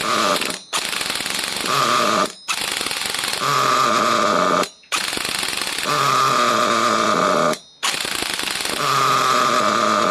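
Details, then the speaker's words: Trophy buggy the previous owner couldn't get running: with the low-speed needle opened up, a harsh high buzz surges for about two seconds, dies, catches again and won't hold steady at full throttle, pointing to a lean low-speed mixture. "It's getting It's going for a bit longer now, ain't it? I mean, got that full throttle. We should be revving these nuts off."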